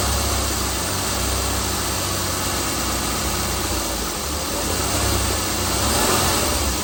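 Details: 2016 Chrysler Pentastar 3.6L V6, stated as about 2017 in a 2017 Dodge Ram 1500 regular cab, steady idle with a busy, rattly clatter over the engine note; owner reports a massive cranking noise at start; cause unknown.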